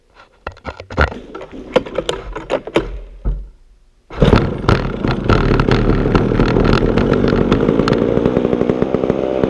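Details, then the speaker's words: Vintage McCulloch Super 550 chainsaw after revival work: a few rough pops, a pause, then it catches and holds a steady buzzing idle that sits a bit fast; high idle, needs adjusting. "it's idling a little bit high but it's running I'll go ahead I'll fire it up for you"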